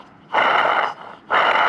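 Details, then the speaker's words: Removed water pump from a 1986 Subaru BRAT spun by hand, two loud rough gritty whirring bursts; the worn bearing was the engine noise. "how loud that is so that was our noise"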